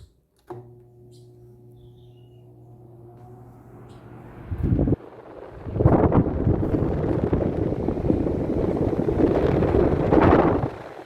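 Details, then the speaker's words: Table fan (127 V) converted to run on about 210 V mains with a 20 µF capacitor in series, giving about 133 V at the fan: low steady hum, then even air rush as it spins up, no knock or rattle; runs normally. "Agora eu vou ligar o ventilador, ele já está com o capacitor aqui em série."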